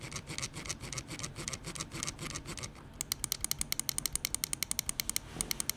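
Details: Finalmouse ULX Frostlord mouse, M1 and M2 button sound test: crisp, sharp, clean and even clicks, slower at first then a quick run near seven a second; sounds fine, normal button clicks.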